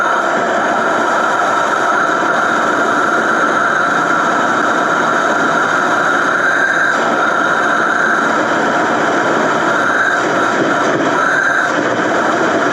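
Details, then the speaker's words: 1989 Ford F250, first run in years, idling evenly with no knocks or misses under a steady air-hose hiss; oil pressure looks decent. "Fired right off. Okay, I don't believe that. Didn't expect that at all. Didn't even sound that bad."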